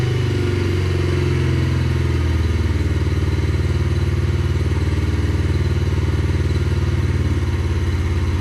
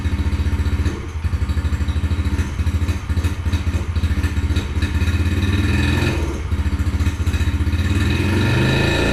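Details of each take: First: 2021 Yamaha TTR50, idle speed raised and mixture leaned slightly (believed to be running too rich): small single putting steadily at idle, even beat, no misses, surging or knocks; now sounds good. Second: 2021 Yamaha TTR50, unused for a couple of years, after carburetor reinstall: low, lumpy single-cylinder thumping with sagging dips, barely holding idle; won't idle off choke, owner suspects idle set too slow, unconfirmed.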